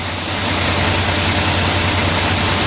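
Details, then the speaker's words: Semi-truck trailer in frigid cold: steady loud hiss of escaping air over low truck hum, air brake leak at the glad hand seal, temporarily clamped with a C clamp. "Well, sure enough, you can hear that leak in the seal there."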